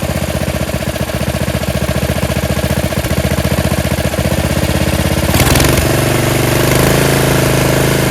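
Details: Yard Machines 13.5 HP Tecumseh 38" riding mower, after fixing slow cranking, earlier stalled (possible carb issue): single cylinder firing at fast even beat, then settling into smooth continuous run, no misses or knocks; healthy.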